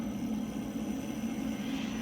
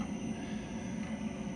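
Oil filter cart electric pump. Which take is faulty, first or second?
first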